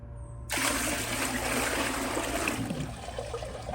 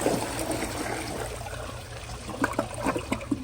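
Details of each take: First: Glacier Bay PowerFlush toilet, tank emptied, bucket of water poured into bowl: rush fades to thin trickle and drain with no pull-through; bucket flush fails to siphon however much water is poured. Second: Glacier Bay PowerFlush vacuum-assisted toilet, bucket flush: water pours in, then gurgling pulses as the bowl siphons and clears properly.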